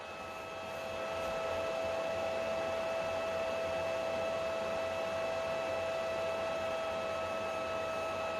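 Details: PlayStation 3 CECHC model that was overheating and heading for YLOD: a loud, steady whirring rush with a constant mid-pitched tone as the cooling fan runs at high speed to fight CPU overheating.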